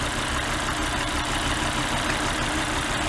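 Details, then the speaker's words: Petrol engine idling with an uneven, lumpy pulse; unplugging this cylinder's fuel injector changes nothing, marking the dead misfiring cylinder, possibly from a bad ignition coil, spark plug or injector. "no change at all that's the faulty cylinder you are looking for so that cylinder may have a bad coil may have a bad spark plug or may have a bad injector fuel injector"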